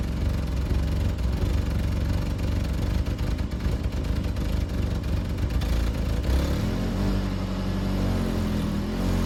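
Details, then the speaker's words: BMW E36 Compact, M4x engine, about 100,085 original miles, started with the fuel pump jumped, possibly running rich: rough lumpy cold-start idle with an uneven low clatter that comes and goes, then smooths; intermittent knock, cause unknown. "I did just hear it knocking, though. Of course it's not knocking anymore."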